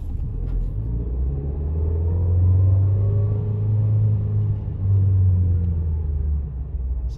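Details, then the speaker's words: 2020 Nissan Versa S manual pulling away in first gear: faint gear whine rising in pitch over engine rumble, normal by design; it whines slightly in second and the other gears too. "So you can probably hear that. So that's perfectly normal. That's actually just the way that the transmission is designed."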